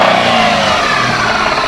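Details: 2004 Jeep Liberty: engine picks up with throttle blips and a rough clacking/knocking rides over it as it revs; knock when gas is pressed, cause not identified.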